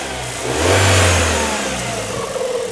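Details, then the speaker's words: 2000 Rover 75 Club, 1.8 K-series (K16) engine, after head gasket repair and rebuild, already run up to temperature twice: smooth even idle rises into a short clean rev and settles back, no knocks or ticks; normal running, sounds much better than before. "And I can tell you for now, just by listening, she sounds so much better than she did 6 days ago."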